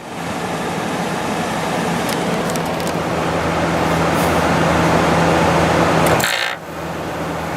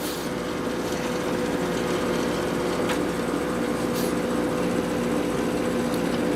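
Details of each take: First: 2014 GE 8100 BTU window air conditioner, Gree-made with Gree compressor, cleaned, startup: smooth steady low compressor hum under fan rush, no rattle or knock; very quiet, gets a little louder over time, normal. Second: LG 8000 BTU window air conditioner with replaced fan motor and bearings, cool mode at 60: steady fan and compressor hum with faint buzzing rattle; cabinet vibrates, otherwise quiet.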